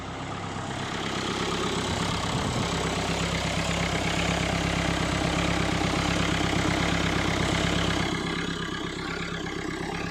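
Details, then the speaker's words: Mahindra Verito D6 with Duster's 1.5 Renault 85PS diesel, black smoke and no acceleration after 15 days parked; after debris cleaned from turbo (no damage): steady even idle, smooth clatter, soft turbo rush, turbo spinning freely. "तो यहाँ से देखो, turbo बिल्कुल ही अच्छी तरह घूम रहा है। अभी इस एंगल से देखो, बराबर घूम रहा है।"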